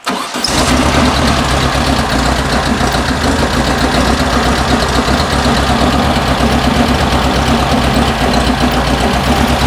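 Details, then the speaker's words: 1974 VW Beetle Love Bug with dual 34 carbs during an engine tune: after the idle mixture adjuster screw was turned in half a turn, it runs loud with a choppy, uneven idle from a lean mixture, so it gets backed out half a turn. "all that was the adjuster screw I just turned in in a half it didn't like that so I'll back this one out of half"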